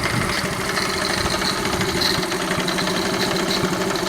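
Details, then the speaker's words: 1971 Honda CT70 just out of storage, with carb cleaned and a Chinese carburetor fitted: small single idles with a fast, light metallic ticking; owner suspects valve rocker chatter, though the cam chain is still a concern. "it's got that noise which right now i'm thinking is just the uh the valve terrain the valve rockers just making a little bit of chatter there"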